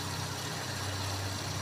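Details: Ford Laser carbureted engine, after the carburetor was cleaned and the idle air/mixture screw was adjusted to fix high fuel use: low, steady idle hum with an even beat and no surging or stumbling; mixture sounds well set. Normal idle.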